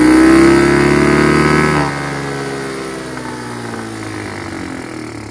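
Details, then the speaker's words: Chinese GY6 150cc scooter with a new carburetor, airbox removed, started with starting fluid: it runs only while a hand covers the intake, then the revs fall away and it stalls. It also bogs on acceleration. "it take my hand away and it uh stalls so that's my dilemma"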